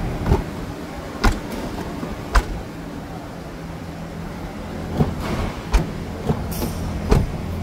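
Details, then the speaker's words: Another door closing on a used 2012 Toyota Hilux diesel pickup in post-purchase inspection: several dull, hollow, uneven slams rather than a clean latch catch; also sounds strange, mechanic advises avoiding it. "aqui também tá bem estranha essa fechamento de porta aqui ó tá vendo tá bem estranho esse fechamento de porta também então evite caminhonete desse jeito aqui"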